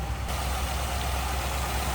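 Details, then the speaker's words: 1957 Ford Fairlane 500 Skyliner retractable convertible, idling, heard from behind: nice-sounding, low even rumble, no knocks, ticks, misses or loud exhaust; normal healthy idle. "Nice sounding car. No crazy exhaust, anything like that. Just a slight rumble."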